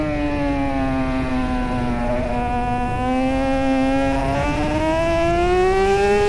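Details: Two-stroke racing motorcycle at Snetterton CRMC round 3 during a race, rider first suspected gear-change issues: high steady wail with brief pitch stumbles as revs drop and recover; worn gearbox jumping out of gear.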